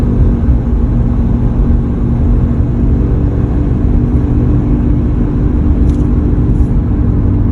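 A steady, deep hum rides under the road rumble while driving. The source can't be pinned down from the sound alone.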